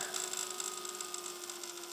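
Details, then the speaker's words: Desktop PC rattling at startup: steady fan hum with a fast, light ticking rattle. The GPU fan was suspected first, but a fan power cable had snagged the CPU cooler fan; moving the cable cleared it. "le cable here that powers this fan has just snagged the cpu cooler fan if i just move it around a bit there you go there so that was what was causing the problem it wasn't the graphics card fan at all it was a cpu fan"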